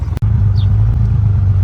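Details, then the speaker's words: 1989 Honda Goldwing after carburetor synchronizing with vacuum gauges: smooth, even low idle, no longer popping or hunting; gauges now matching, carbs well balanced. "As you can hear, it's not popping anymore. And this gauge is now matching this gauge."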